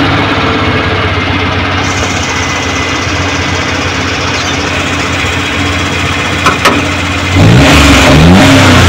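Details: Suzuki Multicab F6A carbureted engine that would not start, now running after carburetor overhaul and cleaning, float valve and distributor adjustment: steady, even idle with no misses, then a clean, quick rise in revs, sounds healthy.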